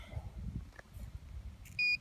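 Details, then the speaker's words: Irrigation pivot three-phase motor tested with power off by meter continuity at the terminal board: two short, sharp high beeps, only some winding pairs have continuity; open winding, motor must be replaced. "así que cuando hacen eso que algunos funcionan y otros no no tienen continuidad pero lamentablemente es el motor"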